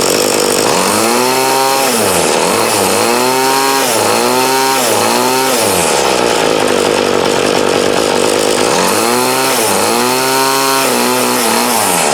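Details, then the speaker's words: 2008 Troy-Bilt TB20CS 31cc two-stroke trimmer after new fuel lines, filter, primer and carb adjustment to remove dead spot: revs up and drops back cleanly several times, crisp even pitch, no bog; still needs slight tweaking. "Now you can hear that thunder. So now, with that, it still needs tweaked just a little bit, but she's running good, so now it's a win."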